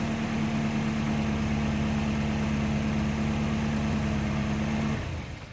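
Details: 1989 Volvo 740 GL saloon, sat in a field at least three years, no coolant in it: steady, even idle with a smooth low hum, no misses or knocks, then switched off; healthy normal idle.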